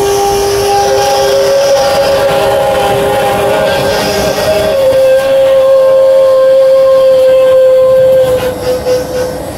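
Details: HVAC/R cooling unit with reported low-voltage trips, belt freshly tensioned: loud train-like roar with a steady mid-pitched whine; the unit runs noisy and sounds like it's starving, cause not confirmed.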